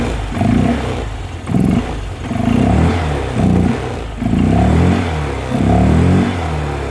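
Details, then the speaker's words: Honda Vario 125/150 scooter with semi-open air filter mod: short repeated throttle blips with a throaty intake roar rising and falling; normal open-filter induction noise, though owner notes slightly hesitant response when cold and wonders about injector setting. "Agak ada suara Open filter nya itu ya"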